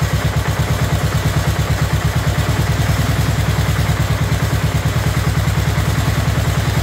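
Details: Abandoned 2004 Murray lawn tractor, Briggs 12.5 HP OHV single, first run: deep, loud, heavy lumpy thumping, running rich with choke on and excess fuel; flooding later cured and carburetor adjusted.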